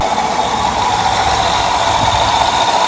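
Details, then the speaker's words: Two-door access cab truck, about 120,000 miles, engine idling after a start that was a little rough at first but improving: an even idle with a steady hum and light valvetrain chatter, no knocking or stumbling. Normal idle. "engine sounds good kind of it's not bad honestly not too bad"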